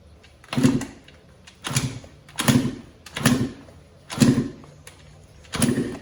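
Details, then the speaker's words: Yamaha YZ125 two-stroke after top-end rebuild, fuel on, choke on: six kicks about one a second, each a short thud and spin with no firing; owner suspected no spark, but spark was then found present. "not sure if it's getting spark. Kind of sounds like it isn't."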